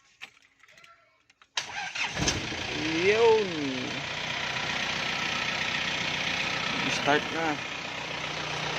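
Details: Car fitted with a new battery and starter that earlier only clicked and wouldn't crank; after checking the starter relay, grounds and battery, silence, a brief crank, then the engine catches, revs and settles into a steady even idle: a clean start.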